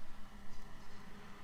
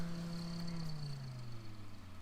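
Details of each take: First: A Waeco camping fridge fan (part D12BM-2) is tested running on 12 V during a fan replacement. It gives a soft, even hum with no rattle, unlike the other fan, whose bearings are going; normal fan. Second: Waeco camping fridge cooling fan, a 12 V D12BM-2, humming and slowing with a rough rattling and clunking. Its bearings are failing, and a replacement fan was swapped in.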